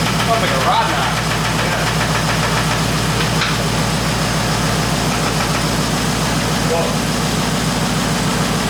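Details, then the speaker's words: Turbo Honda Accord at first start after sitting; fast, steady knock at about three per second over the idle, alongside lifter noise; it sounded like rod knock, but is suspected to be the exhaust pipe or headers hitting the frame. "I'm sure you can hear in the video it sounded like it was Rod knocking along with all the lifter noise and I think on top of it the exhaust pipe the headers pulled the ex"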